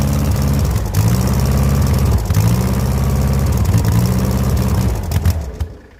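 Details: 1970s Layton roller compactor, 60-degree Ford Taunus V4: steady starter churn, about three turns a second, with no firing before it stops; crank no start from corroded ignition points.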